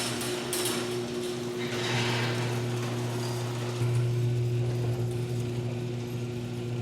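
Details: Garage door before roller replacement: electric opener hums steadily while the door rattles and clanks irregularly along its track; loud clanky door, old rollers suspected, later swapped for nylon rollers.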